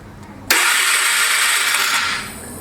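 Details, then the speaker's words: Flood-damaged Polaris 325 ATV, engine freed, new key switch, starting via the handlebar start switch after finding neutral light: sudden sharp whirr spinning steadily about two seconds then tailing off; starter turning the engine over normally. "But I got to this handle here and look what I got. I got a neutral light and I also got start."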